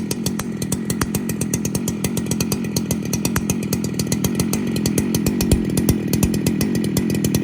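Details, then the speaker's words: 2019 Husqvarna 395 XP chainsaw, first test run after full rebuild, dual-port muffler: crisp, even two-stroke bark, steady firing, clean pickup, four-stroking gurgle at high-end overspeed as desired; healthy saw running strong. "beautiful 395 XP that boy she sounds good with that dual parted Muffler eh"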